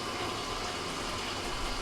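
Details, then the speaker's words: GE top-load washer WJSE4150BZWW after replacing the WH13X10024 inlet valve for no hot water fill: steady water rushing into the tub with even flow and no hammering or buzzing, the new valve working properly. "everything looks fine there we're going to let it fill up let it agitate and make sure the machine is going to function properly"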